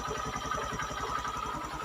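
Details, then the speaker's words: Honda Mega Pro (Verza) single that suddenly died on the road with lost ignition, now starting after repair: it settles into an even, quick putter of about nine beats a second with no misses or knocks. Normal idle. "Bismillahirrahmanirrahim Alhamdulillah hidup Apakah setelah hidup ini selesai"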